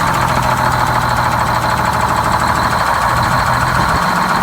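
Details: GM 4104 bus diesel two-stroke, revived after about nine years sitting, with four stuck injectors freed and a bad starter replaced: steady, even idle with low drone and busy clatter on top, no misses; normal, healthy idle.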